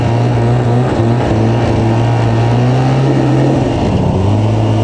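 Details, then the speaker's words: Moto-Ski snowmobile on snow after carb cleaning, new fuel lines and exhaust gaskets: engine holds a flat droning pitch barely changing as it pulls; drive belt slipping on the clutches unless throttle applied gently. "I don't know if you can hear that but that's the belt slipping on the clutches so you gotta apply the throttle easy or it'll just slip and not grab"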